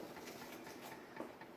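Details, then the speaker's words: Progress Lighting Apollo ceiling fan near high speed after blades tightened: soft, fairly regular clack three to four times a second over a light whoosh as it starts to shake; wobble, cause unconfirmed. "It moves a decent breeze. I don't even think that's high. Might be getting close. Starting to shake"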